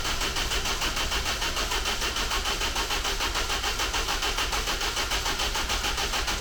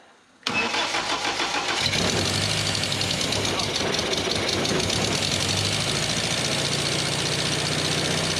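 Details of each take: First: Steady, even starter cranking with no firing on a rebuilt engine in a car called the Ninety, timing set statically; won't start because the timing chain was fitted with the timing marks in the wrong place. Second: Petrol engine freshly swapped into the Ninety, fuel pumps on, a little choke, cooling system not yet rebuilt, timing still off: quick crank, then it catches and holds a fairly even idle for ten seconds without stumbling.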